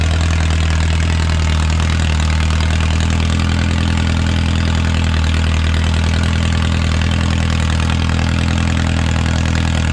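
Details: Original engine of a Renault 4CV (car a 1952; engine failed early 1950s with cracked block, weld-repaired), reassembled and run for the first time in ~70 years: steady even low idle about 220 beats a minute, no knocks or misses, barely smoking; normal idle.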